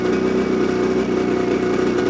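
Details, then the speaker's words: Brand-new 2026 Ski-Doo MXZ 600 EFI Sport snowmobile, 2 miles on the dash, in break-in mode, just fired up: crisp, even two-stroke burble at a steady fast idle, no misses or knocks; quiet, idling normally. "It's actually pretty quiet in my opinion."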